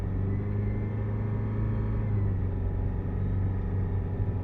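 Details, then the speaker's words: 2013 Kia Sorento 2.4L stalling, codes P0017, P0106, P0191, exhaust cam phaser connector unplugged: deep, uneven idle rumble that lurches and wavers instead of settling; stuck exhaust cam phaser makes it run rough. "because now we're not getting a change. And now it's running like crap."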